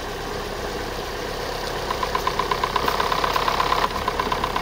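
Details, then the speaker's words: Chevrolet Sonic 1.8 with code P0366 and hunting idle: on cold start, a sharp uneven knock of about three per second from the top end, unchanged after a PCV valve replacement; a camshaft problem is suspected, and the knock eases when warm. "Сейчас на холодную завели. Она именно на холодную в основном барабанит."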